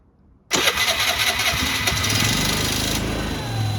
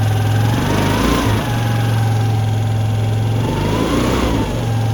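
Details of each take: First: Piaggio ET4 scooter started after years stored, weak battery: catches on third attempt, flares briefly, then settles into a steady, even little idle with no stumbling; sounds healthy. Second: Piaggio ET4 scooter started after a couple of years sitting, with the fuel changed and a weak battery: the engine idles and blips with a loose, rattly clatter underneath; the drive side and clutch are worth checking, cause not confirmed.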